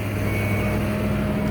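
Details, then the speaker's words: 1994 full-size Ford Bronco V8 idling on the factory exhaust instead of open manifolds: a steady, even low rumble with a firm, regular idle pulse and no knocks or ticks. Healthy, smooth V8 idle. "It still sounds like a V8, it's just not wide open manifolds."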